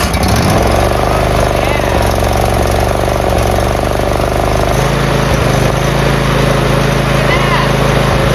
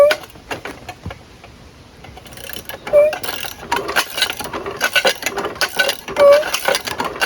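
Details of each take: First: Briggs V-twin riding mower engine, previously seized from running dry on oil and now unseized, run on starter fluid at full throttle with no choke: steady, even chug at fast idle with no knocks or misses, running perfectly on both cylinders. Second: Seized riding mower engine, plugs removed, crank turned by hand after freeing: slow irregular clicks and scraping grinds; owner suspects camshaft and crankshaft gears meshing, rings possibly damaged with low compression.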